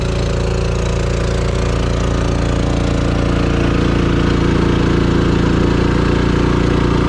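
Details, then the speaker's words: Champion 3500 portable generator in a 1990 Fleetwood Bounder motorhome, about half an hour running the air conditioner at 79°F outside: steady even drone with a regular low pulse, no misses or surging; normal running under load. "okay so it's been out here running for about half an hour under a pretty good load right in the air conditioner"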